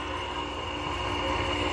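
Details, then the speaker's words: Old R22 air-conditioning unit running and building head pressure: even compressor hum with a rough, whirring rattle and thin whine over it; refrigeration system sounds good but the fan sounds bad. "Despite the fan, I mean, the refrigeration system is what sounds good. The fan sounds like shit."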